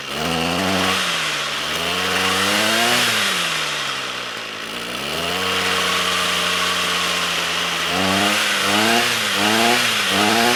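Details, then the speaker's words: Trash-picked Ryobi string trimmer two-stroke, air box broken, no choke: buzzy revs up and sags hard each time throttle drops, barely holding on; stalls off throttle because the carburetor idle set screw is broken off. "well it's still stalling when i let off the throttle so let me see if i can adjust that idle set all right well i wish i'd noticed this before but the idle set screw is actually broken off on this carburetor"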